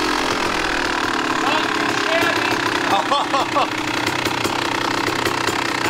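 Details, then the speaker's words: 1998 Kawasaki KX250 two-stroke, fully rebuilt, ran poorly for six years with a runaway idle and dieseling, suspected crank-seal air leak; after the fix a crisp note settles at idle and picks up cleanly on the throttle with no misfire or stumble. Much better. "oh that sounded better what do you think we got it it's a nice feeling"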